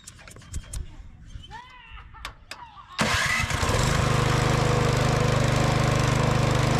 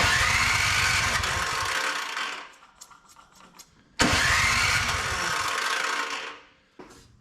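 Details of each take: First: Older curbside Craftsman MTD-built snow blower revived after needle straightening and fresh fuel: after a few handling clicks the engine catches at three seconds and settles into a steady, even fast putter; healthy running. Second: Older Craftsman MTD-built snow blower, primed and electric-started: two bursts of even cranking with no catch, then clattering; owner suspects bad old gas, crank no-start.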